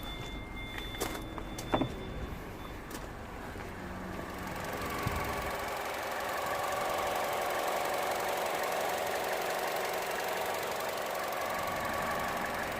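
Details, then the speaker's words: 2011 Vauxhall Corsa D 1.4 petrol after repair (P0223, airflow meter had been fitted the wrong way), codes cleared: quiet, smooth, even idle with no misfire or knock, and it revs okay. "idling perfect let's just give it a few revs make sure your abs okay revving okay"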